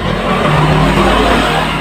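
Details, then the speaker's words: Yamaha Mio Z 125 with starter not working, battery said to be good. Starter motor run on direct power gives a steady, low, labored hum with no rising pitch, turning briefly then stopping; weak starter motor, brushes to be checked. "Ketika berputar dia langsung mati lagi. Pastikan api ada. Nah, jadi ini menandakan dinamo starter ini sudah lemah ya."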